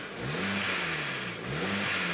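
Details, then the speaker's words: Ford Focus automatic, about 17 years old, revved up and down: a light metallic top-end rattle that an oil stabiliser additive hasn't quieted. The engine is judged worn but still running. "I'll be honest, it doesn't sound like the stabiliser's doing anything to our engine. No. I think that's toast, to be fair."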